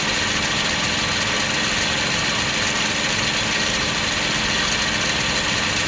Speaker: Normal water pump sound after replacement.